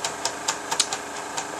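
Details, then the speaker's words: GAF 3000S Super 8 sound projector on a film test after its blown halogen lamp was replaced, amplifiers running: light, quick mechanical ticking with faint clicks over a soft, steady motor hum. Normal projector running. "And yeah, you can see the volume control. You can hear the amplifiers running. And there's actually the film. It looks nice."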